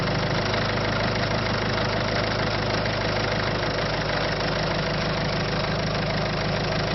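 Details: 1.6 HDI diesel at idle: steady clatter, about three taps a second over the rumble; abnormal idle noise, cause not yet identified.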